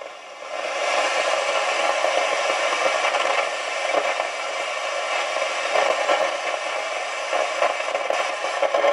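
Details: Realistic TRC-451 CB radio after all capacitors replaced: steady scratchy hiss with crackling bursts and no signal behind it; receiver still noisy, a faulty transistor suspected but not confirmed.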